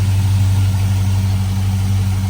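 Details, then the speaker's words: 2005 Chevy Silverado 5.3 V8 at idle after fitting factory valve covers, AC Delco gaskets and a new PCV tube, replacing leaking aftermarket valve cover gaskets: a steady, even low rumble with no hiss, misses or ticking; the vacuum leak is gone. "sounds pretty good to me. I don't hear any more vacuum leaks."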